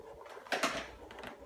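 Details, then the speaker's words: Fratelli Onofri Royal Chiantishire range makes short high chirping squeaks over a quiet hiss, coming from behind the dials toward the top of the range. "you hear the squeaking noise if I have to listen it's coming from somewhere behind the the dials here"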